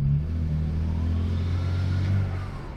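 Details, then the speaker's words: BMW E90 335i N54 twin-turbo on a test drive after diagnosing no-boost and wastegate issues with new downpipes: deep exhaust roar under throttle with a faint rising whistle; boost building normally, earlier misfire possibly from an injector. "that definitely sounds like boost to me"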